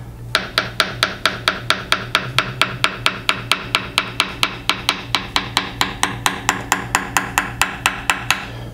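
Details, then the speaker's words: Tap hammer on a VHA 206L composite main rotor blade's weight pocket, worked from the outboard end inboard; the solid ring turns flat and buzzy over a delaminated area: composite delamination found by tap test. "so you might have noticed that right in this area it went from a solid tone to a more flat buzzing like sound"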